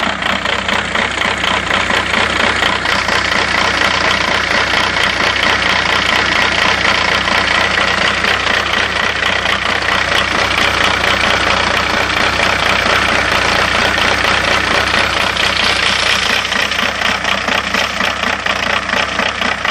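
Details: 2000 VW New Beetle TDI, manual transmission, starts and drives great: diesel idle with a clattery, uneven beat pulsing a couple of times a second; EGR valve looks very dirty, cause unknown.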